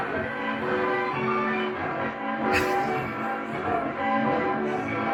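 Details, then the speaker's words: Vintage record player test with the stylus flipped to the wrong side: music thin, muddy, harsh and smeared throughout; distorted playback from the wrong stylus. "Come on now. That's not how it's supposed to. It's not supposed to sound like that. Come on now, people. Obviously, it's not work. It's not working right, people. Horrible. I turned the needle over to the wrong one, but I'm just testing people."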